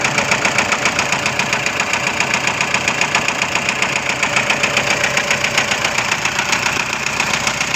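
Steady, sharp knock at about four per second over the idle, even and persistent; a clear engine knock.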